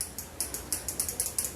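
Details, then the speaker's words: Square-type motorcycle starter relay with battery power applied to pins 85 and 86: a quick, even run of crisp dry ticks, about eight in under two seconds. The relay is good. "आपने सुना होगा कि मेरे case में तो यहाँ पे आवाज़ आ रही है।"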